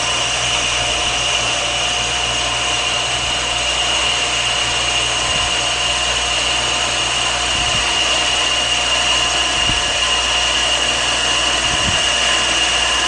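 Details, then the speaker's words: Shopsmith lathe with a lathe duplicator, carbide scraping cutter set about 1/64 inch below center, turning a taper on a table leg: steady, even hiss at a constant high tone, no chatter or catches; a smooth cut at the right feed. "okay we're getting to the end and there we [Music] go nice smooth taper barely needs any any uh uh sanding"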